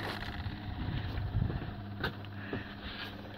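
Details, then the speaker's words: Bobcat 853 after fixing fuel starvation with an added 12 V electric fuel pump, no priming needed after sitting overnight; low steady hum at key-on with no stutter or surging, pump running normally. "just turn it on hear the fuel pump running already just pumps away"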